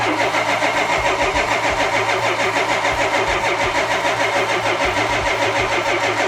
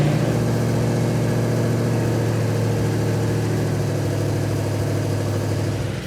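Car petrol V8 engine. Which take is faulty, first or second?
first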